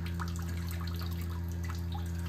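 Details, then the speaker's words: Mitsubishi inverter mini split outdoor unit, heating in defrost mode on a rainy, humid Massachusetts day, coil frozen: steady low hum with water dripping and splashing into a nearly full six-gallon bucket; normal defrost condensate draining. "I got a six gallon bucket here and she's almost full just splashing everywhere"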